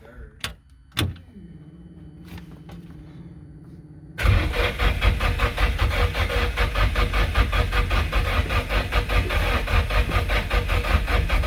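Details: Nissan 240SX S14 SR20DET, first cranks after engine rebuild, after reseating loose injectors and jump-starting from another Nissan: quiet, then rhythmic starter chug with uneven puffs and a kick but no catch; won't fire.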